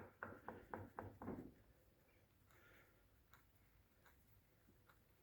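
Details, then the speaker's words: Right-side forged suspension arm from a Peugeot 206 rocked by hand: about five dull, evenly spaced knocks, roughly four a second, from a worn, apparently unlubricated ball joint that knocked over every bump while driving; bushings still uncracked. "Шаровой шарнир начал стучать. Втулки на ней всё ещё в относительно хорошем состоянии, даже не треснули. Но шаровой шарнир издает вот такие звуки во время движения."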